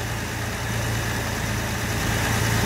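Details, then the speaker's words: Jaguar Series 1 4.2 with new electronic ignition, cold start after sitting 2–3 weeks. A fast, steady warm-up idle on choke with a smooth, even hum and no misses or tapping; the engine is running smoothly. "We'll hear the engine note change when she does. But that is running so smooth."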